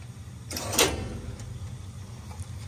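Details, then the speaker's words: Lochinvar Noble steam boiler just after the pressuretrol was replaced: one sharp bang rings through the piping over a low boiler rumble; banging in the steam pipework, cause unclear, and a pressure reducing valve is suspected to help. "coming from this somewhere in this piping but that shouldn't be happening and I think adding a pressure reducing valve would help that"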